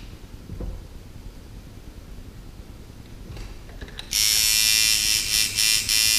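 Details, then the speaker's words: Sidewinder V3 tattoo machine after the impact screw was backed out slightly: a steady, even high buzz without choppy hitting. The machine sounds well tuned. "that sounds good make it hit really hard make it hit really soft"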